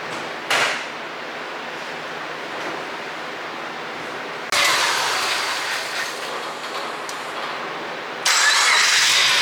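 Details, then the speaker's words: Subaru EJ25 engine, first start after reinstallation, no radiator or cooling yet, started off a jump box: catches and runs with a couple of rev blips, steady with no knocking or ticking; normal running. "all right so the subaru runs uh actually sounds pretty good"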